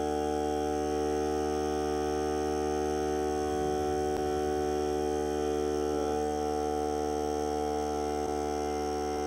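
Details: Hart cordless air compressor during break-in run on a fully charged battery (30 minutes or until the battery dies), pressure around 30, hose connected; steady buzzing hum, constant pitch, no hiss or sputter, no audible leaks, normal running under load.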